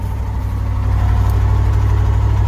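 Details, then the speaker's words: 1982 Chevy K30 squarebody V8, off the road since 2018, started cold on choke and now at fast idle; the choke may be faulty. Deep, smooth, even burble with no misses and no smoke, good oil pressure. Normal fast idle. "Alright, finally got that choke to stay on, so she's kind of doing some fast idle."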